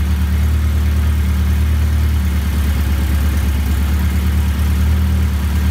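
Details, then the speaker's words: Shorrock supercharged Austin Healey Sprite replica, first start of fresh engine, choke fully in, idling on its own; sounds different from a normal Sprite, unsure whether exhaust or supercharger. Steady, even low idle, no knocks or misses: normal idle. "that sounds quite a bit different than a normal sprite really i don't know if it's the exhaust or the supercharger but that is the first start for the sherock supercharged sprite it chokes all the way in it is idling on its own"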